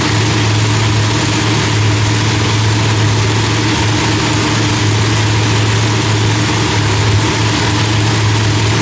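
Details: Big blown V8 loping at idle with a steady low drone and blower whine, no backfires or misses, after the distributor trigger was switched from rising to falling; timing was about 6° off (32° set); new heads, idle still being fine-tuned.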